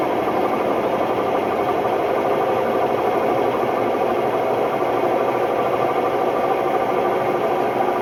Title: Hotpoint Ultima WMD960 washing machine || Test spin: My ears were left ringing… bad bearings!!